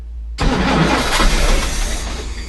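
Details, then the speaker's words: Chris Craft Commander 410 454 marine engine, unused 10 years, with a rebuilt carburetor and fresh gas: starter spins steadily for about two seconds, never fires. Crank, no start; the previous owner's altered wiring caused starting issues. "well we had a few uh starting issues uh the previous owner did some funky stuff with the wiring back there"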